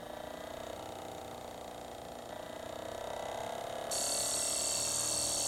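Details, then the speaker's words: ASTAR DVD player with laser sled sticking, mechanism oiled and adjusted: quiet rapid ratcheting about four clicks a second with rising gear whir as the drive struggles and fails to read a disc; owner suspects limit switch not being made. "hmm yeah I don't think that's gonna read that doesn't sound good yeah it's not gonna work"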